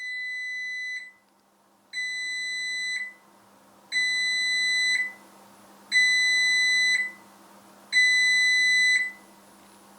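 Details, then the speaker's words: Vitality 1000 ml/min Brown's gas (hydrogen/oxygen) machine switched on the first time with its tank completely empty: five long high beeps, about a second each, plus a flashing low-water icon; it needs filling with water. "So the 5 bleeps is telling us that we need to fill the machine up with water."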